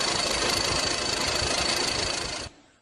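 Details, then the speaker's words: AC compressor fault: a dense, fast rattling clatter with a hard metallic edge, then a sudden cutoff; sounds like a knocking AC compressor. "¿Qué es esto? Es una falla del compresor. El sonido anormal es así."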